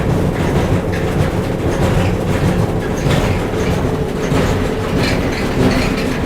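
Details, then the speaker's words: Whirlpool gas dryer model LGR7648KQ1 running: heavy, continuous low rumble with a loose, uneven thump about 48 times a minute; both the left and right drum support rollers were found worn. "I think the issue is the dryer's making too much noise, vibration. So let's find out why."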